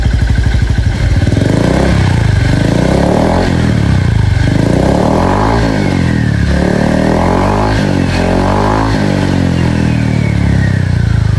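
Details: Honda Vario scooter with AHM Malaysia exhaust, previously noisy, after replacing the muffler glasswool packing; deep, mellow, bassy burble rising and falling with each throttle blip, no rattle, sounds healthy.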